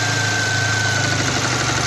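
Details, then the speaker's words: 2017 VW Golf R (MK7) towed in with the low oil pressure light on: rough, heavy idle with a steady knock that worsens with the clutch pressed. A broken crank thrust washer piece and metal shavings were found in the oil pan. Crankshaft thrust washer failure. "So, after checking it out, we actually pulled the pan down and found a piece of the thrust washer for the crank in the bottom of the oil pan with other pieces of metal shavings."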